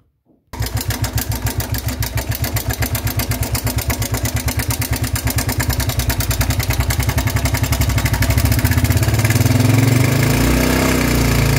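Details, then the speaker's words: Motorcycle engine on start-up with a loud, rapid metallic clatter over idle. It began faintly about a week earlier and suddenly grew loud; tappets were first suspected, but the cause was timing chain rattle from a failed chain tensioner, which was replaced. "y pues ese es el sonido que está haciendo ya anteriormente ya sea ese ruido pero empezó poco a poco esto tiene apenas hace como una semana que empezó con ese sonido pero era más leve"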